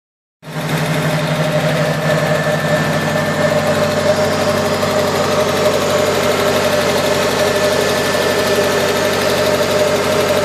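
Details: Nissan S14 KA24DE idling with light, quick ticking about four per second, began after head gasket replacement; owner unsure if lifter tick or something more serious.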